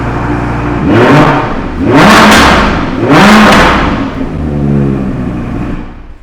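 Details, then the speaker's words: Crashed Audi R8, stored two years, feared seized: three sharp revs climbing and falling back to steady idle, no knock or clatter; normal start and revving, no seizure or hydrolock. "Now that we can start the engine, at least we know the engine is now seized. There's no hydrolock or anything."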